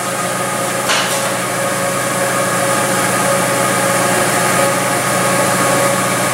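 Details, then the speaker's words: Engine at idle, monitored by a homemade pressure impulse sensor on a Picoscope, with the number four plug wire pulled to simulate a misfire: idle turns uneven, stumbling as one cylinder drops out each cycle. "this time I'm going to pull a spark uh a plug out from number four while I focus you on the screen and so you're going to see what's going to happen when we simulate the misfire on number four"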